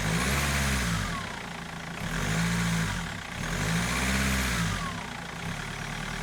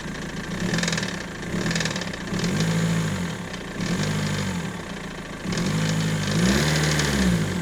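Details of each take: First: BMW M47 diesel after crankshaft pulley replacement: revs up and down smoothly in even cycles about every two seconds, no pulley rattle or squeal; sounds healthy after repair. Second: BMW M47 diesel idling with an uneven, pulsing knock and rumble that swells and fades every few seconds, near the steering pump; the owner feared the timing chain, but it was a worn crankshaft pulley damper.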